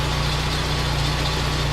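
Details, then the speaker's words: Saab, 210,000 km car with 125,000 km engine, idling while warming up for an oil change: steady even idle with a faint high chirpy squeak from a bad serpentine belt. "I got a bad serpentine belt, so that's why it squeaks a bit."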